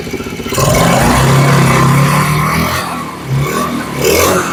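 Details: Kids' Chinese ATV after an alignment fix: the small engine catches and runs with a busy buzz, revving unevenly a few times but pulling cleanly. It runs fine.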